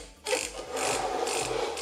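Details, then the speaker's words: DeLonghi Cappuccino espresso machine after repair, heater up to temperature, old hoses in place. Low buzzing pump with pulses of hissing water; water is flowing, so the pump primes and delivers steadily as it should. "woda leci. Więc znak jest dobry, bo tego efektu"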